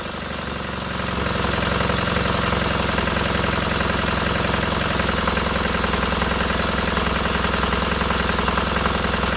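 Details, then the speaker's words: Freshly rebuilt K750 twin-cylinder motorcycle engine after first start, ignition problem fixed: steady, even idle with a regular unbroken beat, no misses or stumbles; both cylinders heating equally, engine runs fine. "voilà les deux cylindrées chauffe tous les deux pareils il chauffe tous les deux pareils nickel chrome va voir le moteur fonctionne"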